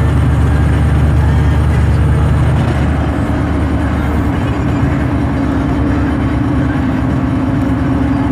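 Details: T56 gearbox while driving: a steady mid-pitched whine over the deep drivetrain drone, gear noise with cause unclear.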